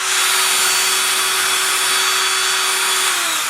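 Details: Ryobi TR-31 router after repair (the bearing keeper had slid down, which likely caused make-and-break brush contact; bearing itself fine), reassembled test: spins up to a steady clean high whine with even hum, no rattle or grinding; motor and bearings sound healthy.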